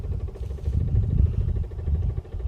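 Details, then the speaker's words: Nissan Stagea 260RS, just delivered, battery possibly dead: fast, steady woodpecker-like tapping low down while parked, continuing after a click, source not yet diagnosed; rapid tapping noise. "Sounds like a woodpecker in there. Oh, I guess I have to diagnose that, too."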